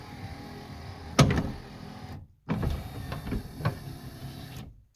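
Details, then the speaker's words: 1979 Lincoln Continental right front power window after torque pin repair: steady even motor hum with a start-up thump; taking slack out of the half-moon gear by hand makes it run quieter. "taking that Slack um let's back up again taking that slack out of that Half Moon Gear makes this thing run a lot quieter"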